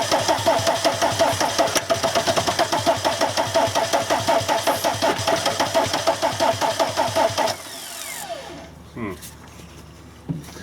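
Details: VW camper with a swapped TDI diesel engine and a newly installed harness, cranking while spraying starting aid: steady starter rhythm for about seven seconds, never fires. The cause is unconfirmed; the owner suspects a relay.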